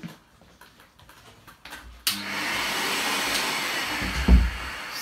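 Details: Toshiba VCP-700S bagless vacuum cleaner, possibly 80s/90s: some handling clatter, then the motor spins up to a steady, even rushing roar with no grinding or wobble; runs fine.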